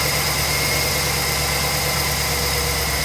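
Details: 2009 Chevy 2500HD 6.0L V8 after replacing the driver's side exhaust manifold, gasket and broken head bolt: idles smoothly and evenly, with no ticking or puffing from the previous exhaust leak.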